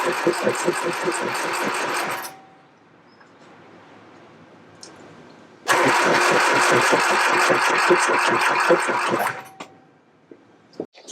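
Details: 1969 Triumph Spitfire Mk3 with a rebuilt engine at its first start, fuel gravity-fed to the filter: two long bursts of steady cranking at 2–3 beats/s that never catch. Fuel starvation suspected; the starter also got hot, with a loose connection or missing earth strap suspected.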